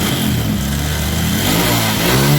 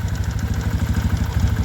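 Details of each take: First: Kawasaki ZX with carburetor that had high idle, wouldn't idle down and hesitated, after carb renovation and setting: crisp blips rise and fall cleanly, then settle to a steady, even idle without hanging high; carb set right. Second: Kawasaki ZX carbureted motorcycle before carburetor work, idle adjuster having no effect and engine hesitating; idles fast and even at about ten firing beats a second, never settling, worse when hot: high idle that cannot be set.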